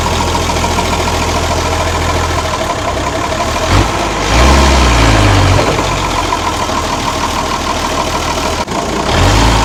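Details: Ex-Australian Army International ACCO 6x6 truck with a Perkins 6354 six-cylinder diesel, just started after bleeding air from the fuel lines: steady low rumble, even beat, no knocks or misses; normal idle.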